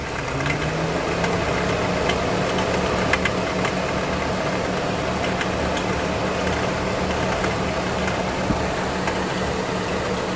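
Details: Dodge Avenger engine idles steadily with faint irregular light clicks over the hum; a ticking noise is present, source unclear.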